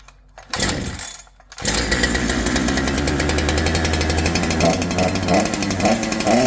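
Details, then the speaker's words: Holzfforma G372 chainsaw (Farmertec clone), first start after crankshaft seal replacement for a factory air leak that kept it from tuning, chain off, choke off: fires and holds steady buzzy run, responding cleanly without surging, unlike the erratic running before. "I need to put the chain on it to be able to tune it but it's actually responding to what I do now before it was all over the place"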